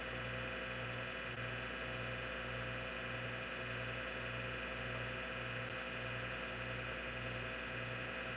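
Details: Hard drive in an IBM PC/AT damaged in shipping: a constant loud whir with a steady low tone and a seek rhythm about twice a second. The spindle motor and bearings are so loud that head movements can't be heard; the cause is unconfirmed.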